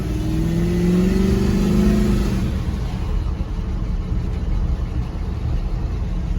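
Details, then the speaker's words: 1976 Chevrolet K10 with a junkyard LS V8 swap, on its first drive after sitting 20+ years. The revs rise, hold and fall off with a slightly flat, hesitant note under throttle; it is running lean and needs more fuel. "pretty lean there so i'm gonna throw some fuel to it"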